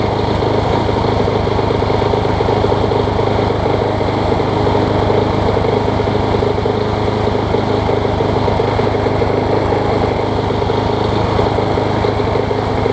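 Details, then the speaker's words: MTD Quantum push mower engine on a Troy Bilt deck, after hammering the bent crankshaft straighter: single-cylinder running steadily with a slight rise and fall in speed, still hunting a little; sheared flywheel key found. "Ain't the best running Quantum that I've had, but it runs good after you start it. Still hunting a little bit."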